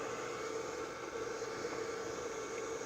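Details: JT Mini 15 12 V 15 A power supply after replacing its noisy failed fan with a salvaged one: quiet, even hum with soft, steady airflow hiss and no rattle or buzz; cooling fan healthy.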